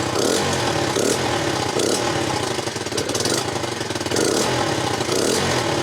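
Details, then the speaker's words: Honda CBR125, 8,700 miles, after replacing injector, fuel pump and old fuel: small single holds steady quick putter idle with a brief dip; now runs normally, likely fuel pump fault worsened by old fuel. "bit so the bike now runs and unfortunately we've changed three things we've changed the injector the fuel pump and the fuel so we don't actually know which of them it was"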